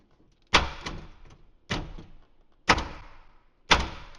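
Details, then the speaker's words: 2013 Ford F150 with 10-year-old RideTech air ride: electric door popper, not working through a corroded connection, hot-wired to direct power; four sharp clunks a second apart, each with motor buzz, working cleanly. "Let's hot wire it. More power. Put some power to a Wow, that works."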